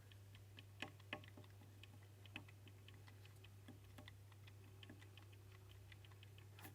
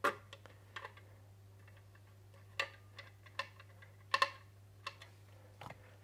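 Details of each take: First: Wahoo Kickr bike trainer, mic held close while turning. Faint irregular sharp clicks over a low hum. A part rubbing the belt wears it, and the dirt gets stuck in the belt drive gear, causing the clicking. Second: Wahoo Kickr trainer that made a strange noise, after a clean out and a spacer washer added, belt thought to have been rubbing: quiet steady flywheel hum, a few light clicks, no rubbing or grinding; runs smooth.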